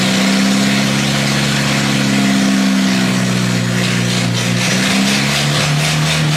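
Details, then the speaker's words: 1957 Willys FC-150 engine newly revived to running: loud, steady engine note with an even hum that dips slightly and settles, no knocks or misses. The exhaust has a hole. "Does that sound a little better?"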